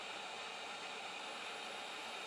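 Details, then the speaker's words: DIY 1280 W solar PV feeding a 240 V 4500 W water heater element at about 8 A DC, 140-degree DC thermostat: steady hissing sizzle as current arcs blue across the contacts past 163 degrees, unable to break the circuit, apparently fusing. "So you can hear it's arcing, and see the blue arc in there, but it's not shutting off."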